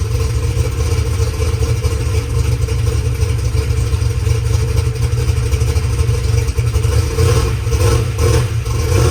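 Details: Methanol drag race car V8 after sitting two weeks: loud deep steady running with light rocker arm clatter, a little noisy but not terrible; no exhaust leak ticking, engine healthy.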